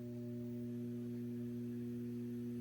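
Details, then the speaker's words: Data East/Williams System 11 pinball machine: constant low steady hum with overtones through the speakers, one of two hum types, attributed to the power supply; fix via auxiliary power supply. "one of them is the buzzing sound that follows the the white shell and the other one if some people have is just a constant hum like a constant buzz"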